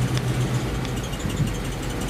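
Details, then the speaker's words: 1951 Ford F3 with flathead V8, just started easily, choke possibly still on: low, even idle with a steady deep rumble, no misses or knocks, very regular; on acceleration one or two cylinders may not be firing. "Là on l'entend tourner. Il tourne bien, il se lance bien, peut-être il vibre pas, il est très régulier."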